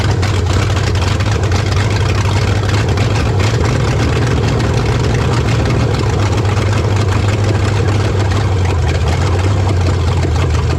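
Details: 1970 Dodge Charger, 383 four-barrel V8, after swapping back to its original calibrated carburetor and retarding timing slightly: deep steady even lumpy idle, no misses or knocks; runs well despite a carburetor bolt-hole fuel leak and coolant leak.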